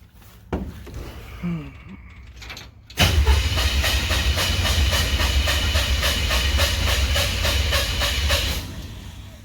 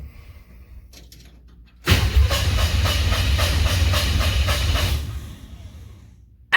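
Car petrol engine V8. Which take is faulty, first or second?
first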